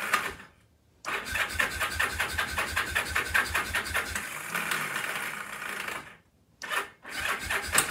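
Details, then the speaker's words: Free, rusty Kawasaki KZ750 that was headed for the scrapyard cranks on the electric starter in quick even pulses but never fires. Carb cleaner didn't help, and the starter keeps kicking out (suspected bad starter-clutch gear). No spark; owner suspects the old points ignition. "starter keeps kicking out too but [Applause] you're a bad gear on the starter clutch somewhere does have a kick starter but I do not see any spark [Applause]"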